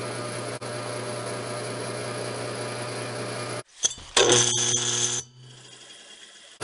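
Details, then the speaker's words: Hercules split-phase motor, previously burnt out with an overheated run winding and a possibly stuck centrifugal switch, running unloaded: loud steady mains-pitched hum as it winds up to top speed, then clatter as it is handled; said to quiet under load. "boy is that ever a neat sound the motor makes when it's running it's like you can hear that motor wind all the way up to its top speed"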